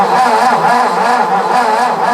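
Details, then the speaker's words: 1958–59 Ford F600 grain truck, 330 V8, long unstarted, cranked with float-level screw out: steady starter whirr with even compression pulses, about four a second, never catches; no-start, no fuel reaching bowl past a likely plugged needle and seat. "so this right here is the needle and seat so we'll take that off and we'll see it's probably plugged and that's why the gas isn't getting inside of the float bowl here"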